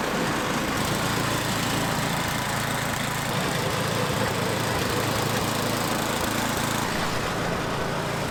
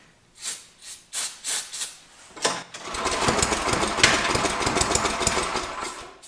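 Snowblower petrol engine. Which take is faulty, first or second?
second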